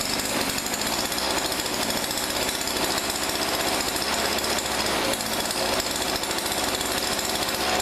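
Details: Weedeater PE550 two-stroke edger from a thrift store: loud, steady high-pitched buzz held flat without surging or dying; running at speed and seems healthy.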